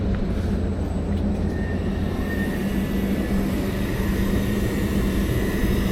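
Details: Lennox single-stage rooftop unit after gas valve replacement, running in service test heat mode: even low hum with steady blower rush, no surging or rattles; firing cleanly on heat.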